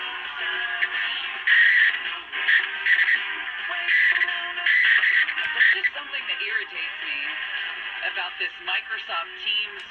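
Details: 1965 Westinghouse H-908PN9GP nine-transistor radio, whose AM squealed before repair, with a new 0.47 µF capacitor in place of the leaky 0.5 µF one: music comes through clean and steady with the muffled AM tone and no crackle or dropouts. AM reception is fixed.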